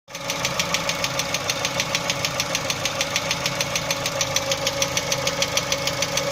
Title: Стук двигателя Chevrolet Cruze 1.6